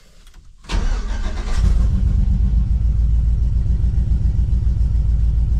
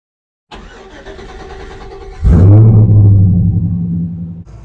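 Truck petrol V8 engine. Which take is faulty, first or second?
first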